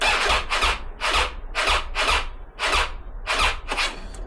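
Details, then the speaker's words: Triumph Tiger 800, battery charged two days, clutch in: slow, labored cranking about once every half second, never catching; sounds like a flat battery but isn't, starter motor and electrics to be checked. "That to me sounds like a flat battery, but it's not."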